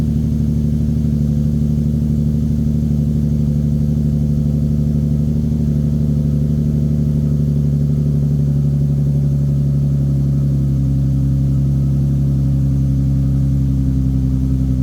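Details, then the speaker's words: 2015 Nissan 370Z salvage repair, camera in back: deep, smooth cold-start idle holding steady with a slight settle after ten seconds, no knocks or ticks; normal cold start idle. "all right let's hear that cold start"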